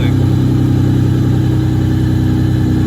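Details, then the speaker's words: Nissan S13 240SX with a non-turbo MK4 2JZ-GE swapped in to replace the blown KA24, first start after the swap on fresh six quarts of oil. Idle is down and smooth, even and steady with no knocks or misfires: healthy normal idle. "he sounds [ __ ] healthy as [ __ ] leave it running give it a few seconds we put a fresh uh six qu of oil on this thing idle's down good"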